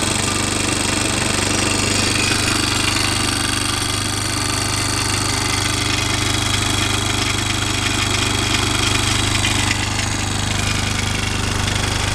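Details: Honda Recon ATV reassembled after seal work, no leaks overnight: steady single-cylinder putter at a quick even beat with some mechanical clatter on top, settling to a reasonably even idle; normal idle.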